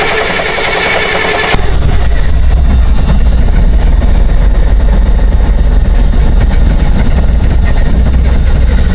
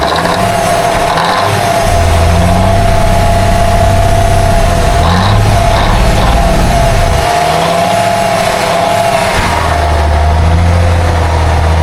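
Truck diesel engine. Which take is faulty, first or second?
first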